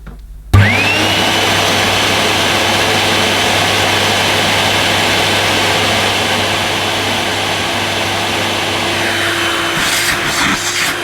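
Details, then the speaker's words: Vintage Hoover S7053 Commercial Celebrity canister vacuum, bought filthy off eBay, first power-up. The motor spins up with a rising whine, then holds a steady, even hum with no grinding. It runs fine, though it possibly needs a bit of lubrication. "well i don't think that sounds too bad possibly a bit of lubrication is in order but yeah it it runs doesn't it"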